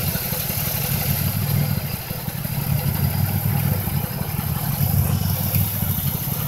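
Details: 2005 Chevrolet Impala 3800 V6 at idle, uneven stumbling beat about one stutter every two seconds; P0305 code, cylinder 5 misfire persisting despite new #5 spark plug, wire and injector.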